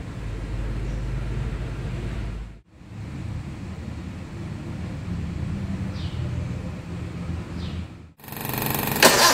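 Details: 1983 Suzuki SJ410 stock rebuilt F10A engine, Aisan 56mm carburetor, after cold valve lash set to 0.10mm intake and 0.15mm exhaust; catches and settles into steady even idle with no valve tick: normal idle.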